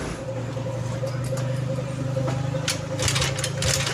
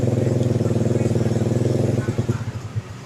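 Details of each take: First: Early carbureted Honda Beat scooter kick-started: repeated kick strokes about twice a second with no firing; no ignition power, horn, turn signals and brake light dead. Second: Early carbureted Honda Beat after disassembling and refitting wiring (loose connection suspected): electric start, even low thumping at about four beats a second, steady and clean; engine runs normally.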